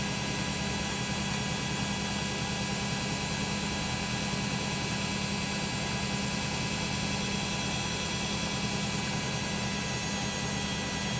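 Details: Beko WM5100W 5kg street-found washing machine, plumbed in, rinse/spin test with rags: a steady loud roar with a fixed hum and hiss through the fast spin, no clear knocking; noisy spin, cause not pinned down.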